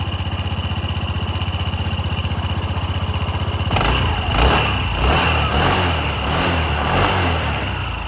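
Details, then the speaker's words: Honda SH150i scooter at about 8,700 miles, checked for starter whine: even single-cylinder idle thump and clean revs, starter whine no longer heard at start-up; healthy. "Okay, so far it's turning it off. It's made no more whine, so that's good. That's good news."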